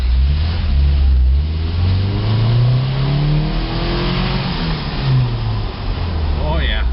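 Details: 1988 Toyota Pickup 22RE, revving: engine climbs and drops cleanly through several blips with a steady exhaust note, no knocks or misses; healthy revving with music behind.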